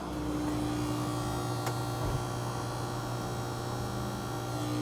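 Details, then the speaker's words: Panasonic washing machine on the spin cycle: a harsh, steady electric buzz like a short circuit, with no spinning sound. It was suspected at the motor, drain pump or actuator; the drain pump was found jammed by a foreign object. "Esse barulho aqui, ó, é como se fosse um curto. Esse barulho só pode ser em dois lugares. Ou vai est no motor do lado da lavadora, ou vai est na bomba de drenagem."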